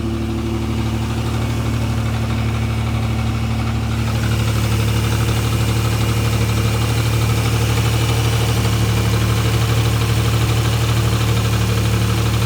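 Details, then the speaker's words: Acura NSX at cold-start idle before timing belt and LMA service: a busy metallic rattle over the low hum that goes away once warm; owner suspects the LMAs (lost motion assemblies), not the clutch; unconfirmed. Cold start rattle. "Alright, so that rattling was pretty loud. Hopefully you guys couldn't hear that, hear what I'm talking about. But hopefully that's the LMAs. I don't believe it to be the clutch making that noise because it does go away at warm up like I stated."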